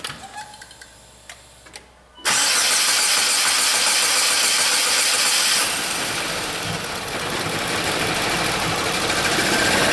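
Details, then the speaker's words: 2007 Saab 9-3 2.0T with intermittent rough running and gas smell, codes P1682 and P0201-P0204: quiet clicking, won't start at first, then bursts into loud hissy running; hard start with injectors 1 and 4 stuck on, ECM drivers suspected. "All right, Tammy, start it up. That won't start. Try again."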